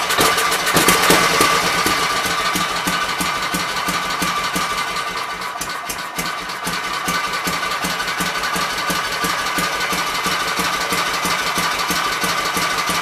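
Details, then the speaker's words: Kohler K241 single-cylinder engine, likely off a Gravely 810, revived after mixture screws set to three turns: quick, regular thumping at a steady, stable idle, no stumbles or surging, not really smoking. "i'm happy with that guys we have to sit there and run it wasn't really smoking or nothing"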